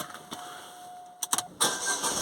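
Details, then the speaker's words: Astra with long crank and P0340 intake camshaft sensor code, after new cam sensor fitted: a few clicks and a chime, then fires on first turn and settles into idle; starts straight away, engine light still on. "yeah starts straight away so I think we're on to something"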